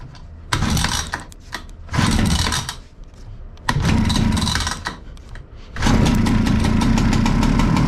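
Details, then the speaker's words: Husqvarna 65 chainsaw, about 60 years old, first start on clean fuel after draining old fluids, pull starter still faulty: several brief firing bursts that die, then it catches and holds a steady high buzz. Normal start and run. "Nice ! This old man won’t die"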